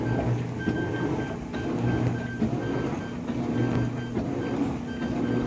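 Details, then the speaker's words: GE GTW460ASJ5WW washer (2016 model), about 3 months old, bought new: short high beeps about every two seconds over the wash hum and slosh, continuous beeping while washing, load selector not working correctly; cause unknown. "it's only about 3 months old we bought it brand new it's just beeping away ridiculous beeping away"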